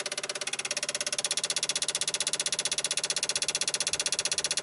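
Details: 1995 Dodge Ram V10 cold no-start, key on, engine off: rapid steady clicking about three a second, building louder, ASD and fuel pump relays chattering; PCM 8-volt supply noisy around six volts; bad PCM suspected.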